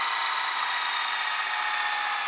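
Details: Panasonic SA-HT820V VHS VCR/DVD combo, auto-rewinding at the tape end with the tape still loaded on the heads: a steady, high, airy jet-engine rush, even in pitch; a possible noise from a splice on the tape, thought harmless; normal fast rewind.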